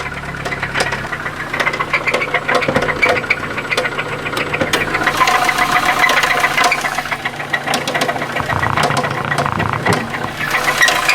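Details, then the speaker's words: Toyota Celica 2.2L engine with 233K miles idling with a steady sharp knock about four times a second: rod knock, motor considered shot. "That's a rod knock. So this motor is pretty much shot."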